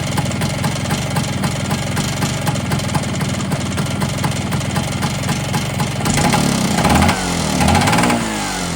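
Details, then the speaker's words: Polini 177 two-stroke scooter after new piston rings, brief run blipped: dry metallic rattle over the fast beat, growing with revs; top-end rattle, owner doubts snapped cush-drive springs from seizure and suspects the cylinder. "Unfortunately, something just doesn't sound right. I might put the cooling shroud on tomorrow and just ride it round the block. So it's next morning, it's a glorious sunny morning and I'd love to be out on the scooter. But she broke. I've still got that top end rattle."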